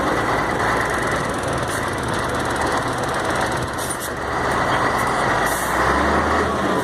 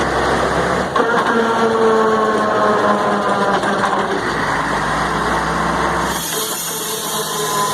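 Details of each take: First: Mercedes-Benz MB 1634 diesel truck road test after differential was reassembled: even road and engine roar, no whine or clunk on or off throttle; the former off-throttle roar is resolved, differential normal. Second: Mercedes-Benz 1634 diesel truck in gear, recorded from on top while driven, noisy only when lifting off the throttle; gearbox, differential and engine had been checked: engine drone with a whine falling in pitch while coasting off throttle; seems to come from the differential.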